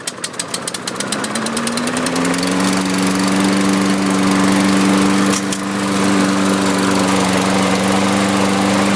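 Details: Used Lawn-Boy 6.5 all-wheel-drive self-propelled mower, scrapper drop-off: a few quick pulls, then catches and settles into a steady, even hum with no misses. Healthy normal running; oil change, blade sharpening and new air filter planned.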